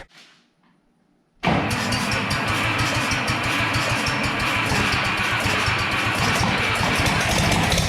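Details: Early Case 930 diesel tractor, believed 1960, possibly unstarted about 14 years, new filters, final filter primed, no exhaust manifold: catches after a pause, runs loud and lumpy, a couple of cylinders seemingly missing, fluid from one; dies when diesel runs out.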